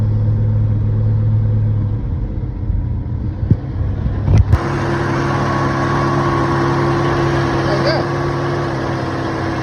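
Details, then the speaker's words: 1972 Ford Falcon XA, off the road 16 years, carburetor leaking fuel, battery shot: runs fast and uneven, holding only with heavy choke, very high revving; possibly lean mixture. "Okay, so it's running, but it only wants to run with like a ton of choke on and"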